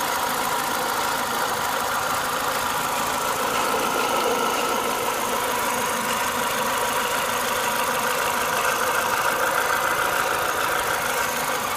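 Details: Renault Clio 182 petrol engine at warm idle, up to temperature: a fairly quick, somewhat uneven knock, roughly three taps a second, that the owner is worried about.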